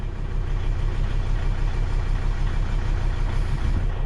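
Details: 2003 Volvo XC90 with new battery settling back to idle after being held at 2,500 rpm for a charging test that passed: deep, even, steady idle with no knocks, misses or whine; healthy.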